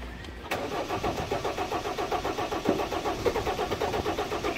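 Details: 1991 Ford Explorer turbo diesel, sat since July 2016 during solid-axle and gear-ratio work: even cranking about five pulses a second, never firing; no start from fuel starvation.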